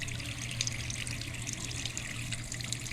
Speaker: As you see, it doesn't look like it's backing up at all. Looks okay. It's going down properly.